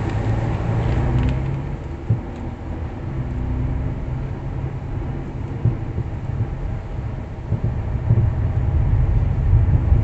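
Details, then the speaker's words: Worn sway bar end link, play in its ball sockets or bushings, gives a light, uneven rapid knocking and rattling over low road rumble as the car rolls slowly through a parking lot over slightly irregular pavement. "on that vehicle you could hear a light rattling noise when traveling through a parking lot with slightly irregular surfaces"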